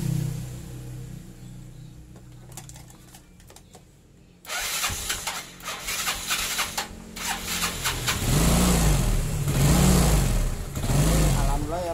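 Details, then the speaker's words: Yamaha Mio Sporty scooter that would not start, despite having spark: a few cranking clicks, then it starts and revs cleanly and evenly after adjusting the too-tight intake and exhaust valve clearances. "nah I am long tuh motornya bisa hidup kembali ternyata kendalanya ada di setelan klep Yang rapat"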